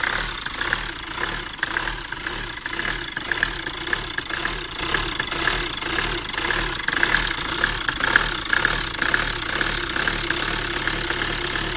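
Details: Hyundai Tucson on its first start of the morning: uneven, lumpy tickover with a ragged tick about twice a second and a hissy top end. It passed diagnostics; the cause is unclear.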